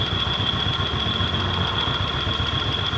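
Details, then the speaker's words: Suzuki Skywave scooter (full DC system) after no-spark no-start, battery replaced and regulator charging checked: steady single-cylinder idle with constant high whine; charging normal, engine running normally. "harus pengisian untuk menuju kaki sudah normal mesin hidup norma"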